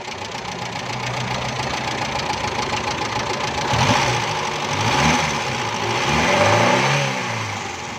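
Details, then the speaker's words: Carbureted petrol car, customer complaint of missing and jerking: uneven stumbling idle with irregular dips and surges; fuel pressure not right, suspected air leak into the fuel hose or a pump problem causing the misfire. "ये गाड़ी जो कार्बोरेटर में पेट्रोल है उससे स्टार्ट है, लेकिन गाड़ी में इसका प्रेशर सही नहीं आ रहा, जिसकी वजह से गाड़ी मिसिंग भी कर रही है और झटके भी लगा रही है।"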